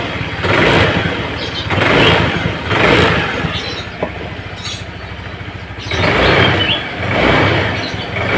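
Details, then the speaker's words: Honda Vario Techno scooter, vacuum carburetor fitted with a cut vacuum spring, revved: as the throttle grip opens, the engine sound lags and then revs rise unevenly, hesitating on tip-in. The bike is sluggish on hills, and its vacuum diaphragm was found torn. "Teman-teman dengarkan, begitu grip gas kita putar awal, seperti ada jeda di suara motor, seperti ada jeda. Jadi dia tidak akan seimbang antara grip gas yang kita putar dengan suara tarikan dari motor ini, teman-teman."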